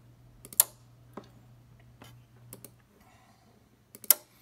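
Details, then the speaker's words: Ten Tec Pegasus transceiver after replacing LM7805 and filter-board relay driver chip: crisp band-relay clicks in clusters when changing bands over faint hum; relays work, transmit power still faulty. "so if i change bands here you can hear a pretty good click so that part of this thing works"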